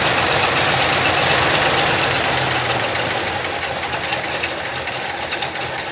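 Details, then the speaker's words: 1966 Ford Country Sedan 390 FE big-block V8 with new cam and used heads, after advancing ignition timing to about 12–14 degrees; happier but lazy, uneven, hollow lope, not firing on all eight cylinders, cause not yet found. "It does seem happier there, although we still have... It's not running on all 8, which I need to figure out."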